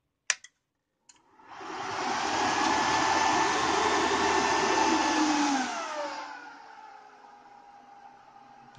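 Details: Bitmain AntMiner S9 Batch 3 (12.93 TH) powered up on a replacement PSU via its power switch: click, fans whoosh to loud steady roar, then ease to quieter even hum; normal startup.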